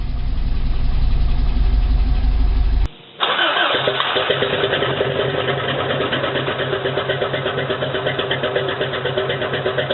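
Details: 1987 Toyota 4Runner with many miles, re-manufactured engine, cold first-morning start: runs lumpy under light throttle after 3 minutes, still misfiring; cheap head gasket leaked coolant, cracked head and fouled plugs; fixed with used OEM head and gasket.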